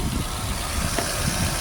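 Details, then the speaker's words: Engine after replacing spark plug (NJK) over an oil problem: steady, even low idle with no stumbles or missed beats, firing cleanly; normal idle. "Tingnan natin start. Ayun oh. Pinong-pino, mga technique."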